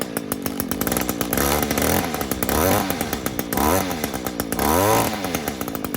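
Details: Echo SRM 225 weed eater, cold start, before maintenance: small two-stroke buzzes with repeated revving surges and uneven throttle pickup; poor running, cause unclear.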